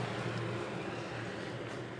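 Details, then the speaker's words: Consul CWL16A washing machine, back after five repair shops: very loud airplane-like roaring drone as the worn plastic coupling on the iron mechanism shaft no longer grips and spins on the splined shaft. "essa peça de plástico aqui é que tá causando todo esse barulho na máquina e adoro ficando doida achando que é um defeito é outro ela faz um barulho muito forte eu e ela não tá segurando o sexto tá rodando"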